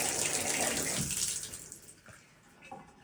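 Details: Even hiss of running water that tapers off with no knocking or banging, after installing a new Delta pressure-balance cartridge (hot limit turned about 15°) that cured a month-long pipe knocking; normal smooth flow.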